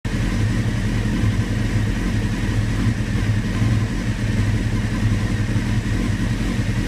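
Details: 1996 F3 idling low and uneven with a lumpy, irregular beat and no steady rhythm; rough idle.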